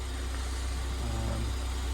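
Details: Fire-damaged Ford Fiesta ST 215 rebuild: a low, even idle hum with no misses, ticks or hunting. The engine is settled and idling properly.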